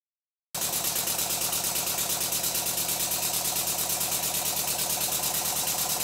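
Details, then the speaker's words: Rebuilt Stuart Twin Victoria twin model steam engine, now lubricated throughout with thicker steam oil: even, quick chuffing about three beats a second, no knocks or clatter; runs much better than before the rebuild. "the engine seems to run much better now than it did before I started the rebuild"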